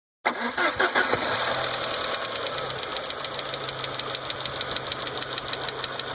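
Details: 1.8T engine after start-up: light, fast, somewhat irregular ticking about three per second over the idle, a top-end knock or chatter; cause undetermined.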